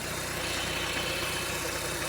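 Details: 2011 Ford Ecosport, Zetec Rocam engine, at idle: lumpy idle with a regular stumble from a misfire on cylinders 2 and 3. The coil gets 14 V but no trigger frequency from the ECU module, so those spark plugs get no current.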